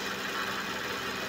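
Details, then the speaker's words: Suzuki Vitara power steering at idle after cleaning the reservoir and replacing the foaming fluid; the strainer was very dirty. Even, smooth hum with no whine or groan from the pump, and performance improved. "So ngayon bago na at ah may pagbabago naman sa performance ng power steering."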